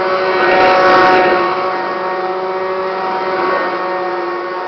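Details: Kirby Classic 1-CR upright vacuum, thrift-store bought and used only three times, with worn motor bearings: loud, rough motor whine at steady pitch, getting louder and shakier over time.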